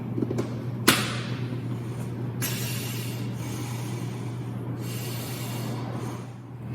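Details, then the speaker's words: Firefighter's SCBA air pack turned on and hose connected to the mask: steady low hum with sharp hissing gasps every couple of seconds as the wearer breathes; normal SCBA breathing. "I'm going to turn on my air pack. Then I'm going to connect this hose to my mask, and you'll get to hear what it sounds like when I breathe air out of my air pack."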